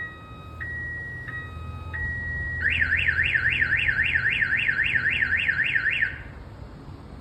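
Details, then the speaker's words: 2005 GMC 2500 HD diesel pickup with a newly installed Viper pager alarm and remote start. Shock sensor triggered as if the truck were hit. Tone steps through pitch changes, then a warbling siren sweeps for about three seconds; warning cycle runs once. "so let's say somebody hits your truck it's gonna go off I believe this Cycles about twice all right that's just like a little warning chirp hey I got an alarm get out of here"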